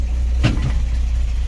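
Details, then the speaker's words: 1963 GMC K1000 4x4 at steady low idle, with a puffing, ticking racket on each firing pulse. It is not valve clatter; a blown exhaust gasket is leaking. "fix this exhaust leak that's all that racket you hear it ain't the valve's clattering this uh exhaust gasket is blown out"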